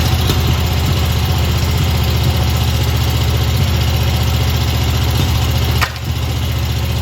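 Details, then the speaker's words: Old Stander mower engine surging at idle, running only on the number two cylinder; number one cylinder dead (bent push rod, stuck exhaust valve), carburetor missing a welsh plug causing surge; lumpy uneven loping idle with brief sag. "the carburetor is missing a welsh plug which is when i started up you'll hear it kind of surge at idle that's why it's doing that"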